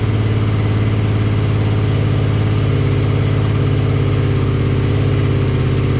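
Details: BMW R65 boxer twin motorcycle (owner thinks 1983 or 1984), on partial choke: a steady, even idle at about three and a half beats a second with no clunks or misses. The engine runs smoothly and seems healthy; the left side smoked.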